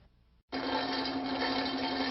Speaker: when you hear a rattling noise that sounds like marbles rattling around inside the pump it's usually a sign of cavitation